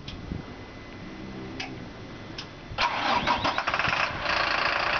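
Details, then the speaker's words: 2005 Freightliner M2 106 Business Class Expeditor diesel: starter cranks briefly, then the engine catches at once and settles into a steady, even idle with no misses or knocks. Normal diesel start. "Okay, as you could tell there, you can hear it come right to life. You can hear it purring."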